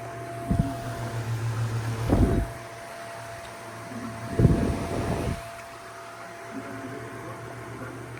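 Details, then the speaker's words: Fan at full power in oscillation mode, blade still dirty: steady low hum with a loud pronounced high whine under wind gusts; fan motor hum. "It has a loud wine to it. Check out the wine or the humming sound. It's running at full power, but you can hear that hum."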